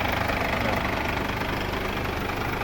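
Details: Mercedes W212 with OM651 diesel, just started after repairing engine oil leaking into the coolant, with new hoses: even diesel clatter at steady idle, no uneven beats or rising knock; healthy and settled.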